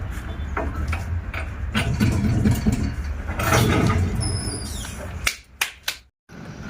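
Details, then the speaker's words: Toyota Innova with a completely worn wheel bearing gives a low, rough growl while running, heard under workshop clatter. "innova wheel bearing మొత్తం పోయిందన్నమాట గర్రు అని శబ్దం వస్తుంది running లో"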